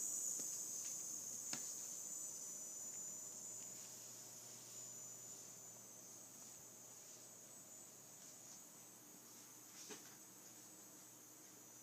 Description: My Seasonic M12ii 750w started making this sound after more than a week of use. It happens randomly - sometimes it makes this sound when I turn my PC on, but sometimes it doesn't.